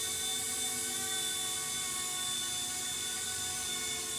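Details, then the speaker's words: RC Era C-189 MD500 RC helicopter in hover test flight after tail motor mount repair: high, steady rotor whine with a faint uneven throb underneath; some rotor head vibration, and the owner may add shock foam under the receiver. "I still may take that off and put shock foam under the receiver so nothing's translating up. There is some head vibration, I hear it."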